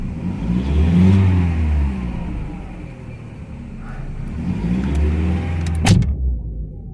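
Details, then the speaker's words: VW Jetta A4 2.0, warmed up with coolant at 90°C, after new spark plugs and wires cured misfires on cylinders 1 and 3: engine blips up and settles smoothly twice with no stumble on the rise; normal revving. "ya está parejo acá ya ha de haber calentado porque tiene el ratito andando"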